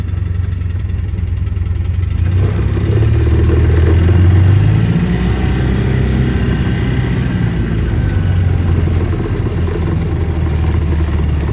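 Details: Polaris Ranger 700 UTV idling: light, uneven ticking about three times a second over a steady low engine idle; source of the clicking not identified.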